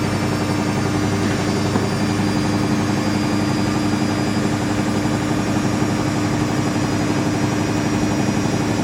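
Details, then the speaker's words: Siemens IQ300 WD14H320GB/02 washer dryer (7 kg wash, 1400 rpm max) on cottons 90°C, bought as "spinning gets noisy"; spin climbing gradually past 500 to 800 rpm, steady deep drum roar with even hum, no grinding. Normal spin, slight rattle from top-mounted dryer duct. "So that's 500 RPM. We've got to 800 RPM."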